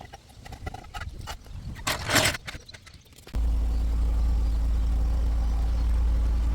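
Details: 1997 Mercedes SLK230 (R170) M111 supercharged engine after the fuel pump repair: handling noises, then the engine catches and settles into a smooth even run with a steady low drone; normal.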